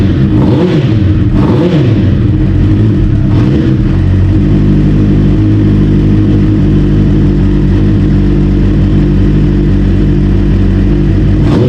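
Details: 1992 Kawasaki ZXR400 L2 revived after sitting several years, new carb mixture screws and O-rings, running on a drip-feed tank: quick blips rising and falling cleanly, then a steady even idle without hunting; normal running.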